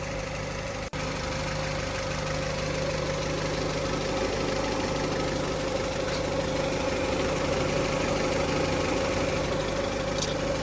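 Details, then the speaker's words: Honda power steering pump at idle after replacing the reservoir inlet and hose o-rings; the whine was present at start but faded after a few seconds to a normal, steady mild hum. "but after a few seconds that sound dissipated and now sounds like a normal power steering pump"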